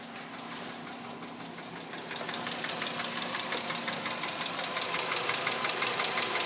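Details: 2006 VW Jetta MK5 2.5L petrol engine at idle with a strange crisp, even tick, about three a second, growing louder partway through; cause unknown, owner asking for help.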